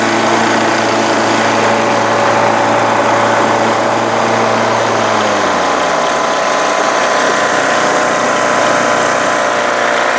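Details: Craftsman LTS1500 lawn tractor with rebuilt 17.5 HP Briggs OHV single-cylinder made from two blown engines, full oil, valve lash redone: steady even beat, pitch sags once as PTO engages the mower deck, then holds smooth with no knock or vibration; healthy.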